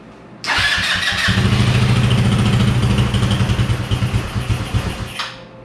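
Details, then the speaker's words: Yerf-Dog Spiderbox go-kart, cold weather: small engine catches and runs a few seconds, then its beat turns choppy and sputters out; owner suspects it needs a carb clean and dislikes cold. "of sputters out so it wants to run i'm not going to run it right now because i got the grass door closed but see it wants to run"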